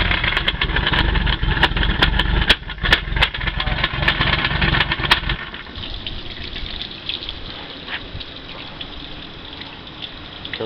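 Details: OMC Cobra sterndrive on a Four Winns boat after impact damage on the lake: harsh grinding with irregular sharp clunks, then a quieter run, as the lower unit chews up its gears.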